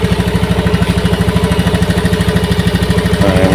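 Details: Honda injection scooter after TPS voltage adjusted from 0.5 to 0.410 V for a hesitation complaint: even, steady putter at about 1500 rpm with no misses or hunting, revs picking up cleanly at the end; normal idle.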